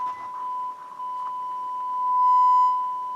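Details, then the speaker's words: Harman Kardon HK350i receiver, right channel test tone through bench speakers previously overpowered: steady high tone that buzzes and crackles unevenly, then holds rough. Distorted output, suspected torn speaker voice coil, to be confirmed by swapping speakers. "Okay, that doesn't sound good at all. There we go. I think that's the voice coil of the speaker that's that's torn up."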